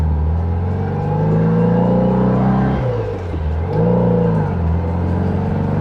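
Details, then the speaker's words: VW-based Porsche 356 Speedster kit car after ball joint drop spindle install, cold test drive, oil pressure 40: whirring tone rising and falling with road speed like a supercharger, tire rubbing on one side; needs alignment. "And the tire's rubbing on this side. It sounds like I have a supercharger."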